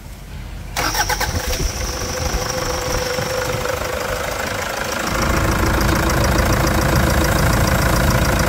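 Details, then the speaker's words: Toyota Hilux 3.0 diesel (KD block), about 300,000 km, after full service with new filters, heard with hood open: starts at once, smooth even diesel clatter with steady low rumble; healthy idle. "é muita melodia né esses motor 3.0 tem uma torrada de cemitério"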